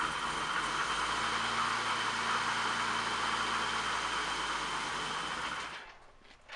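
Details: BMW E28 M535i first start after sitting a long time, after refuelling, exhaust fitted and crank sensor refitted: engine catches and settles into a steady, even idle with a faint high whine, then shuts off; runs smoothly.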